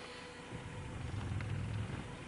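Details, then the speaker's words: Car after clutch replacement, warm, on test drive; forward is perfectly smooth but a low, uneven rumbling grumble swells while reversing with the clutch engaging. Owner assumes it is normal; cause unclear. "you can hear that noise I don't know if you can that's forward that's perfectly smooth but backwards"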